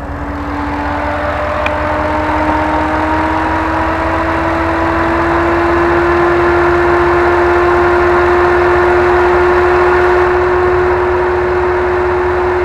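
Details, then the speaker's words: Camaro SS electric cooling fan in a Jeep JK with a GM LS/LT engine swap, ECM controlled by AC pressure, coolant and transmission temperature and vehicle speed, spooling from 60% to 100%: steady whoosh with a clean tone rising slightly. Smooth, normal high-speed fan. "if you're really pushing the vehicle going up a fly I'll go up to about 60% then from 60% I'll go up to max speed which is 100%"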